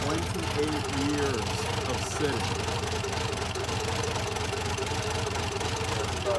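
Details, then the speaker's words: 1984 Buick Grand National on its first cold start in 28 years, after cleaning the air filter, reconnecting the mass airflow sensor and fixing a blown injection/fuel pump fuse: a steady but lumpy, stumbling idle with irregular misses. The cause is not yet identified. "it doesn't sound great but at least it runs"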